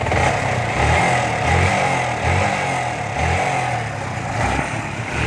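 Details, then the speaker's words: Yamaha R15 warm at idle: light quick ticking over uneven pulse from the top end; excessive tappet valve clearance, needs adjustment. "टैपटि आवाज आ रही है। यह कैसा लगता है? यह है? टिक टिक टिक टिक टिक टिक टिक टिक टॉक, टिक टॉक, आपकी बाइक पर अगर ऐसी आवाज अगर यह आता है, तो इसे कैसे बंद करें क्या आप?"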